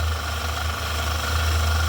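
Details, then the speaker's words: Screwdriver used as a stethoscope touching metal just behind the engine's belt tensioner pulley; coarse steady low rumble with gritty chatter; tensioner pulley bearing chatter, bearings going bad. "that's the sound I hear in my ear so that tells me that the pulley for the uh for the tension pulley the bearings in that tensioner pulley are going bad"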